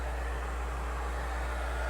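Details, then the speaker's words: Truck cab blower newly switched from low to high through a freshly wired switch: a constant airy rush with a steady low drone and no wobble or rattle. Blower running normally on high. "i don't know if you noticed but he's on high now before it was just like a low fan"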